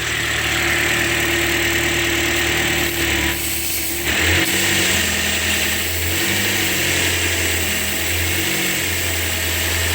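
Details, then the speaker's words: Toyota 4-cylinder petrol car with a P0171 lean code: idle note wavers and dips unevenly, an rpm flutter from a deliberately created external vacuum leak (hose disconnected) large enough to affect airflow, with audible hissing. "so if a vacuum leak is large enough to affect airflow you're gonna get an rpm bounce while you're sitting on idle it's going to try to flutter"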